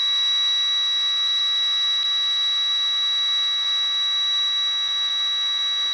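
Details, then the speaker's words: Milwaukee rotary tool (Dremel-type) with electronic speed control: steady piercing whine at about 3,900 Hz over the tool's hiss, the constant PWM carrier frequency; normal. "So that's that high-pitched whine you can hear when you start up tools that have that kind of control, that have electronic control, that aren't just ka-chunk, ka-chunk on off. And that's the carrier frequency, well within audible human hearing range."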